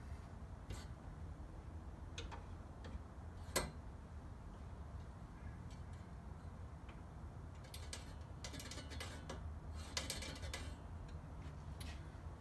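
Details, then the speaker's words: Scott Bonnar Model 45 cutting reel spun by hand while the bearing-housing screw is adjusted down; faint light ticking as the blades just touch the bedknife, the correct setting. "yeah we can hear that the reel is just touching the bed not"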